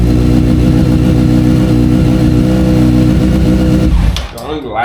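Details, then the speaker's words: F4i motorcycle after replacing burnt, loose spark plugs (suspected cause of cutting off) and an oil change, throttle bodies not yet synced: steady, even idle with a smooth low exhaust beat before cutting off; normal idle. "Overall, the bike, you know, sounds good, starts up."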